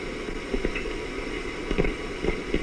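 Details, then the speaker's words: Sony TR-6 six-transistor radio under repair, probe on audio with gain turned up: only steady low hiss and soft bumps, no program audio; signal gets in but stops before or at the detector, while the audio section works. "So if I stick this onto audio and turn up the audio gain, if the detection section is working or we have audio in here, we should just hear the audio. And we don't."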